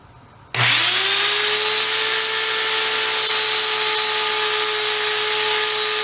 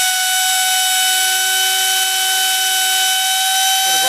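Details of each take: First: Hoover Elite carpet shampooer motor, discarded as smoked, bench-run: snaps up to speed and holds a clean steady high whine with even airflow rush, no grinding or rattle; bearings sound healthy. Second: Trash-picked Hoover Elite carpet shampooer, motor previously smoked, run partly assembled without fan load: piercing steady high scream with harsh fizzing, brushes smoking with fire; brushes arcing badly, possibly fitted on wrong side.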